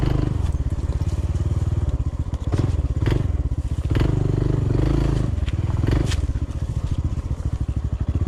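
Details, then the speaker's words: Honda CT125 on a steep uphill trail under power: fast even thumping with harsh metallic edge; knocks under power and lacks power to climb, owner suspects a failing lower-end rod bearing, chain looseness checked, unconfirmed. "i think we got a rod bearing going out on his lower end it knocks when you're under power and it has no power to climb hill"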